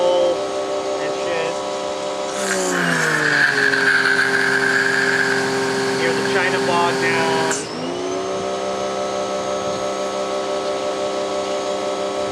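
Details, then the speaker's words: Campbell-Hausfeld PW1835 1800 PSI electric pressure washer, universal motor: whine jumps sharply in pitch when the wand is dialed to low pressure, holds high, then drops back; motor overspeeds when unloaded. "Back this way, and you can go for like low pressure, and you can hear it scream out of fucking"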